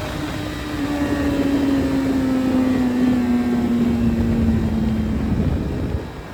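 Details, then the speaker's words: Suzuki Hayabusa with fully built motor and aggressive cams, after cleaning clogged fuel filter: smooth continuous high rev easing down slightly, no stumbling or cutting out; now revs all the way through, normal. "All right. So, as you saw in the video, now she revs all the way through."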